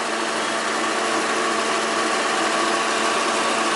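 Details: 1995 Volvo 940 daily driver, hood open after water pump replacement: steady even idle with smooth constant hum, no knocks, ticks or squeals, and no more leaks from the rear of the pump; normal idle.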